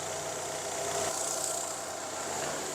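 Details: Fiat Palio 1.0 with intermittent misfire when warm, after replacing the weak ignition coil (cylinders 2 and 3 side), no plug leads or plugs changed: quiet, even idle with steady tone, no stumbles or dropouts; misfire gone.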